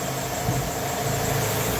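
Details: Opel Corsa D 1.4 petrol automatic, 199,000 km, after replacing a noisy, failed water pump: smooth even low idle with no knocks, ticks or whine; normal idle.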